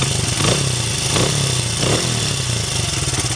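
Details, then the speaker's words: 2006 Honda CRF80F runs with a steady even beat and throttle blips after a small chain tensioner adjustment removed noise first suspected as piston slap; oil leak noted. "sounds beautiful beautiful love it"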